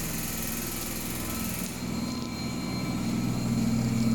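A steady hum and rumble that climbs as the drum speeds up and grows louder toward the end: a noisy washer in spin, cause unclear.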